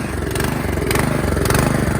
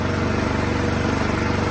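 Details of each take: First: 2017 Troy-Bilt Storm Tracker 2690 XP snow blower, surging after storage with the fuel drained, before carburetor replacement: on partial choke it chugs fairly steadily and smooths with more choke. Owner suspects a clogged carburetor idle circuit. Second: 2017 Troy-Bilt Storm Tracker 2690 XP snow blower after carburetor replacement (part 951-15236), choke off, low throttle: a quick, even putter with no hunting or surging. Normal running after the fix.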